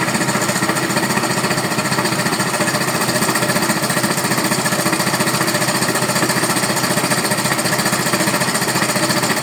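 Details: Neo 125 motorcycle engine: rapid, steady hammering knock about three per second over the running engine; knocking noise, source needs further checking.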